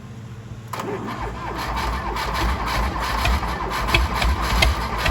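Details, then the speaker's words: 1985 Ford 1910 tractor (32 hp, 3-cylinder Perkins diesel), found abandoned in the woods and neglected, started after a fresh oil change. It cranks briefly, catches and chugs into a steady, even idle; normal. "it's running good it runs a little bit quieter I think with the fresh oil on there which is no surprise to me but it's running good"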